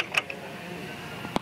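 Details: Mazda 626, passenger side: sharp, dry clicks about a second apart from a worn CV axle. The owner also reports grinding, loud popping, and vibration under heavy acceleration.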